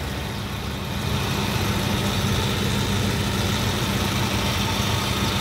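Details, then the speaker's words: 2002 Suzuki Katana GX with the bonnet open, engine bay shown. Steady, low rumbling idle with an even beat and no knocks or ticks; the engine still sounds good and is idling smoothly. "Coba kita gas Insya Allah suaranya mesin masih baik terus kita lihat bagian bawahnya"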